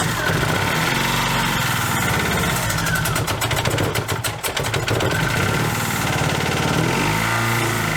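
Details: Dodge Neon ACR brought back running after almost two years: engine runs rough and lopsided, its beat stumbling unevenly; one cylinder not firing, number two found off, with MAP and knock sensors unplugged.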